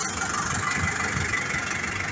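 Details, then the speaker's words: Massey Ferguson 440 diesel tractor, about 12,000 hours, engine never opened, injectors redone: at full throttle a steady roar with fast choppy stutter from the exhaust, slight smoke; power and torque loss, cause not found by diesel specialists. "فيه الشاطمه فيها خروج دخان قليل، مش طار اللون تاعو بين اسود او ابيض او ازرق، وفيه صوت تقطيع، فيه صوت تقطيع من الشاطمه."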